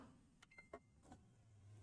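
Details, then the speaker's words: Xbox One S optical drive accepts a game disc but won't read it: only brief motor whirrs and clicks, no steady spin-up hum; disc not spinning up, suspected power fault rather than mechanics, not confirmed. "It sounds like the disc's not spinning up. So it might be a power fault."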